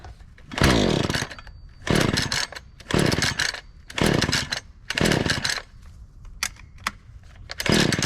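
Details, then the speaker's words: Lightly used Husqvarna 435 X-Torq chainsaw on a cold start with choke, fuel in the primer looking a little dark: repeated pull-cord bursts about once a second that sputter and never catch; a no-start, possibly from the old fuel, which is then dumped. "okay we couldn't get that lucky that's all right um I'm gonna go ahead and dump out the fuel that's in here and see how that looks"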